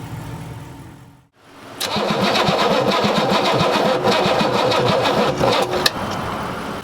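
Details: 6.2 diesel Suburban, first start in about 8 months after installing a new flywheel (flex plate/flywheel suspected cause of starting issues), new fuel filter and injection pump line bled: catches and settles into steady even diesel clatter at idle. Starts cleanly, runs fine.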